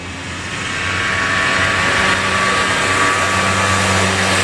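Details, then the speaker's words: Polaris Xplorer two-stroke quad after fixing an oil leak that starved it of 2-cycle oil for 21 years: steady, even buzz at constant speed with no misses or knocks; running better than ever, normal running. "that is by far the best she's ever run buddy by far"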